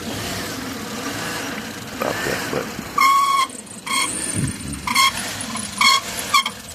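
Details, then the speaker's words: 2007 Chevy Tahoe 5.3 with intake gasket leak, idling after cold start, rain-wet engine: short high chirping squeals in bursts, stop when water applied then return as it dries; slipping drive belt. "there it goes again. Let's see. That was just the that belt making that noise."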